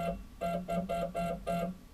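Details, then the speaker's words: CNC router stepper motor jogging under Mach3 with steps-per-revolution reset to 2000 in metric mode: rough buzzing hum in short bursts, about three a second, sounding more coarse, from a wrong steps-per-unit setting. "you can also hear the motor sounds a lot more coarse"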